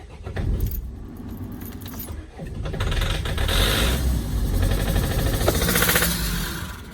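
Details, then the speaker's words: Vauxhall Vivaro/Renault Trafic 1.9 dCi diesel after a runaway: uneven starter churning with irregular compression beats, no start; owner thinks some cylinders have more compression than others and suspects the engine is done for. "hmm that's that's not running still don't sound too clever does it"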